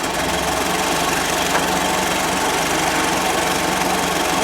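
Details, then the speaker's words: Merkur XR4Ti, 95,000 miles, sat five years, idling with timing light on before rotating distributor: loud lumpy idle with uneven chuffing beat, running flat and rough; mark way after TDC, target about 13° BTDC; retarded ignition timing. "thankfully you can see the mark it's way down there after top dead center"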